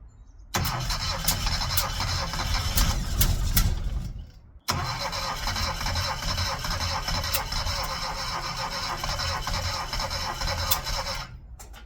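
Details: Classic Mini, first start attempt after 12 years, with low compression found earlier: starter churns steadily in two long bursts, nearly catching but not firing; cranks but won't start.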